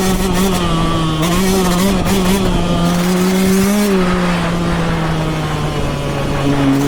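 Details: Yamaha YZ125X two-stroke revving with a steady tone wandering in pitch and a faint uneven rattle on top; abnormal running noise, cause unclear.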